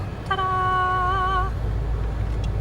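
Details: 2010 Jeep Compass blend door actuator after repair of its gear, which was missing teeth and caused ticking: moving from full cold to hot, a smooth motor hum runs about a second over the blower, then stops cleanly without ticking.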